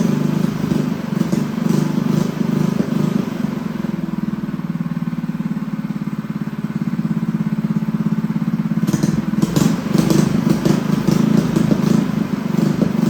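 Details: Freshly assembled Honda GX200 clone go-kart engine, choke on: rapid putter that sags and wanders in speed then picks up unevenly; needs jetting, jet to be stepped up for smoother running.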